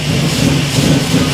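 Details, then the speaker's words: 1967 Camaro V8 idling in neutral just after its first key start following a rewire with a cheap kit: deep, steady burble, even low rumble, no knocks or misses; smooth, healthy idle. "die this thing cool man it idle's nice and oh yeah that's pretty exciting very exciting"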